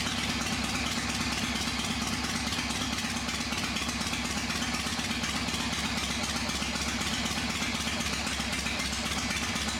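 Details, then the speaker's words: Old V-twin motorcycle engine first start after sitting unrun for a few years, carburetor just tightened: fires right up, even loping idle with steady beat, no knocks or misses, a little oil smoke; sounds good, normal idle. "Well, fired right up, a little bit of smoke from the oil in there and stuff like that, but other than that, it sounds good."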